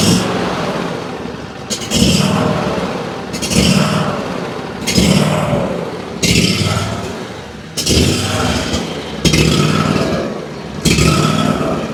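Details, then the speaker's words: Ferris IS3000Z mower, 27 hp commercial Briggs & Stratton V-twin with low power: rough, popping surging about every 1.5 seconds, not improved by slight choke; fuel/air mixture fault, found to be the carburetor. "As you can tell, it's running extremely poorly. I tried just pulling up on the choke, choking it just a tiny bit to see if I could get it running better, and I can't. uh it's surging kind of right now which usually leads you to believe that we got some sort of fuel or air mixture issue nine times out of 10"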